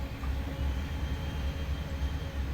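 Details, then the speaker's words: 2012 Mercedes C63, 193k km, supercharger installation: electric fuel pump run and varied gradually to build fuel pressure, low steady hum with slight throbbing pulse; pump running normally. "You hear the pump? I'm playing with the pump."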